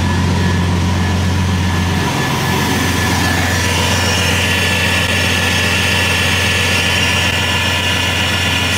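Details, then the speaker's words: Bentley W12 engine at idle: even, steady smooth hum with no rattle or ticking, purring like a kitten; the earlier rattle is gone, nothing internal to the engine. "Alter der schnurt wie ein Kätzchen heftig okay krass das hätte ich nicht gedacht"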